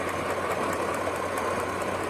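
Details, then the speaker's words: 2004 Chevy Tahoe with P0300 random misfire that stalls and stumbles at idle: sharp, irregular snapping ticks over a quiet idle from one coil-on-plug/plug boot arcing on one bank; exact coil not yet found. "No arcing here, but you can hear it over there on that side. We just got to find out which one of these is arcing."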